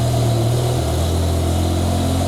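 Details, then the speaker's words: BMW E60/E63 M5/M6 V10 after replacing the failed cylinder 9 ignition coil, exhaust cutouts off: smooth even idle with steady low drone, no stumble; running cleanly on all cylinders. "and there we go cars sound so much happier termites"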